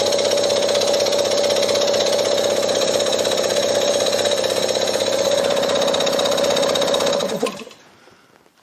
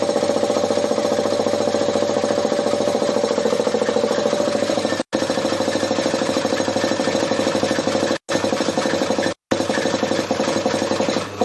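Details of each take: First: Briggs & Stratton lawnmower engine converted to an air compressor, belt-driven, first run unloaded with both sides open: fast even chatter over a steady hum, no knocks or stumbles, then winds down and stops; runs smoothly. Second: Converted Briggs & Stratton compressor pump driven by a larger replacement electric motor (previously half horsepower): rapid steady piston thumping over a hum, pace sagging near the end as it nearly stalls at almost 50 psi (three bar).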